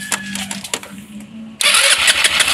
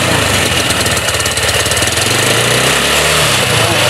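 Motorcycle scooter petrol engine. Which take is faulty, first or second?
first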